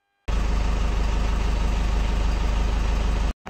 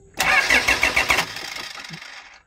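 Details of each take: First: 2008 Toyota Fortuner diesel, after the suction control valve fix for the crank-no-start; a scan shows the SCV working. Steady clatter, a brief cut as it is shut off, then a restart with clean rising revs; runs normally, ahead of a test drive. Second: 2008 Toyota Fortuner diesel, shop blamed pressure pump; no fuel from pump traced to thin, pinched two O-rings on suction control valve, replaced: starter spins with even compression beats about a second, winds down without catching; crank no start.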